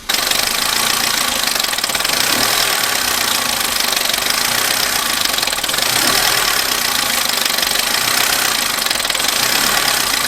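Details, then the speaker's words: Abandoned Vauxhall Corsa, just started first time on a new battery, one warning light on dash: rough idle with fast uneven ticking, extremely tappy and noisy; owner thinks it may just need a service. "The engine is extremely tappy and I am a bit worried about that. It is very noisy. Maybe it just needs a service, but it doesn't sound promising."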